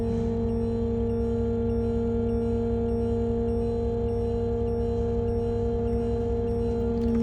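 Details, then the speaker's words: 2005 Winnebago Adventurer motorhome hydraulic leveling system: the warning beep sounds while the jacks are detected down, over a steady pump hum as the rear jacks extend; the motor bogs slightly when they touch the ground; normal operation. "It will beep while it's detecting that the jacks are down, and you want to run the rear jacks down until you'll feel that they touch the ground."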